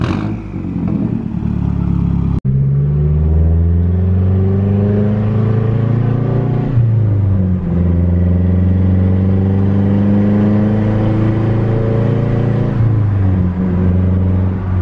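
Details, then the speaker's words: After new oil and new spark plugs, previously running rich: engine pulls through the gears, pitch climbing steadily with each shift, no misfire or stumble; running much smoother, new plugs thought to have fixed the rich condition. "Sounds like it's running a lot smoother. He had a problem with the car running rich, but I think that might have fixed it with the new spark plugs."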